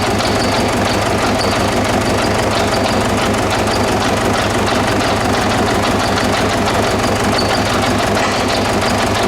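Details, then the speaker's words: 2009–2010 Ford Ranger (Mazda BT-50) 3.0 L common-rail turbo diesel, started on spray, running at idle: hard, lumpy clatter as each injector connector is unplugged in turn; unplugging number 1 changes nothing, so cylinder 1 is dead. "So I'll just turn the car off. So we got our number 1 cylinder not working."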